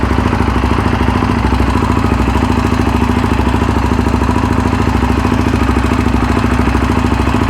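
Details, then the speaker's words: Yamaha Raptor 700R after engine rebuild, running with FMF pipe: loud single-cylinder thumping about three beats a second, uneven and popping through the pipe, rough and untuned, shooting flames; programmer planned to clean it up. "Holy crap guys, this thing is loud. My ears are friggin' ringing. I'm kind of surprised because it is an FMF pipe."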